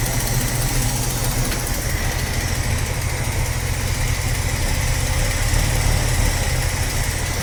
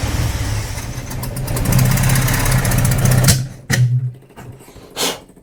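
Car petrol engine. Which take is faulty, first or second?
second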